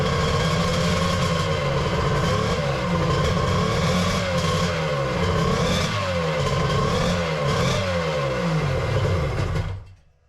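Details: 1100 triple two-stroke in an X2, first fire-up after the build with plugs just put in, in the garage: loud buzzy note with repeated throttle blips rising and falling, then cleanly cut off; runs healthy.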